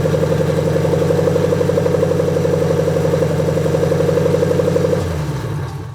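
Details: 2003 Mustang GT after 4-valve engine swap, jumpered starter, no exhaust, no cooling system, mass airflow and coolant sensors unplugged: loud, uneven loping idle pulsing about four times a second with clatter, unmuffled, then winds down.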